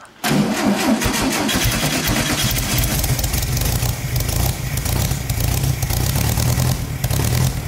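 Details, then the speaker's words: 1972 VW-based Arizona trike, long parked, choked and fed fuel with throttle blips: cranks and catches, then uneven lumpy low beat with hunting revs; runs, but roughly. "all right she runs not great but she runs okay"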